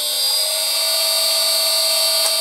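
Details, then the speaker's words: Old lathe motor on NFLixin NF-9000 VFD at default carrier frequency, run up to 50 Hz with fan blocked: piercing steady multi-tone high-pitched whine; still noisy before the carrier frequency is changed. "first let's listen again to the default setting and the noise the motor makes"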